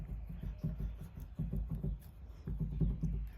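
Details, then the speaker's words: 2013 Mustang GT, driver's side rear sway bar stabilizer link rocked by hand: dull low clunks in short bursts from worn play. The sound resembles the clunk heard over bumps while driving, and the link needs replacement. "I don't think it need any movement back here but the stabilizer it does have some play hear that if you hear"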